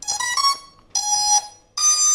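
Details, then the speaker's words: Two ESCs wired in parallel to one brushless motor, with the phase wires swapped on one ESC. Three loud, harsh, overdriven tone bursts of about half a second each; the motor runs louder and stutters as the conflicting ESCs fight. "okay the motor is i'm not i'm not sure if you can hear it from my love microphone but the motor got much louder than before and well i'm kinda scared of what i will do right now"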